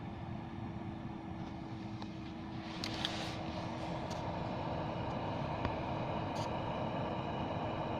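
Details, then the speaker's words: Skoda Fabia Mk2 heater blower, glovebox removed, fan housing cut open to lubricate the fan shaft against whistling, hole covered by hand: steady low hum, one faint even tone, no whistle or squeal; fan now quiet. "сейчас отверстие закрой рукой принципе пока ничего не слышно"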